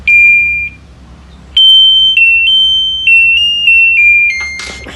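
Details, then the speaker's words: LG washing machine control board (PCB) on the test bench: clean rising-and-falling power-on chime after the error code cleared; the board powers up normally, ready to run, before motor lines are checked with a test lamp. "මේ වල දැක්කා machine එකේ error code එක අයින් වුණා. අයින් වෙලා දැන් machine එක normally on වුණා."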